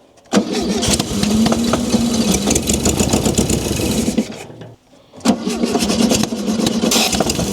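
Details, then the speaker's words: 1971 VW Beetle barn find, long stored, first start with choke closed: fires on starter fluid, runs unevenly about four seconds, dies, then catches again; engine catching on starter fluid after long storage. "With this car sitting for a long time, it's going to be really hard to start it for the very first time. The choke is closed. Let's hit it with a little bit of starter fluid."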